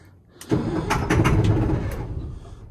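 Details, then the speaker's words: M1085A1 5-ton military truck diesel on jumpered secondary 24-volt battery bank, cold windy day: low, heavy cranking churns about two seconds, winds down without catching; crank no start, owner suspects lost prime or injection problems; oil pressure builds. "It's cranking. Might have lost prime. I'm gonna go reprime the fuel system. We'll try again."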